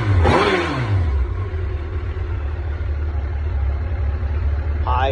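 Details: 2007 Yamaha FJR1300, somewhat warmed but still cold-running, at high idle: engine blips and drops to an uneven, lumpy idle as if running lean; won't start cold since cold high-idle wax valve hoses were replaced, no error codes, owner suspects injectors.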